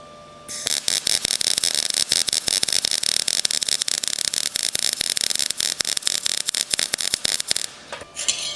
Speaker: You hear how slow that's going? It's like Z and it's spitting out a lot of molten metal.